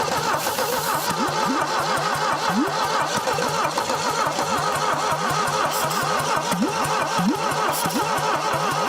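Starter grinds the engine over slowly and unevenly, long drag between compression pulses, never catches; too little compression after sitting for decades.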